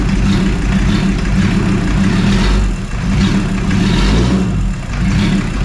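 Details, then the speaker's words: VW T4 Caravelle 2.4 AAB diesel, first start after full engine overhaul: runs unevenly, beat swelling and dipping every couple of seconds, hunting as lots of air works through the fuel line after priming. "Runs, but there is lots of air in the fuel line, so that's why."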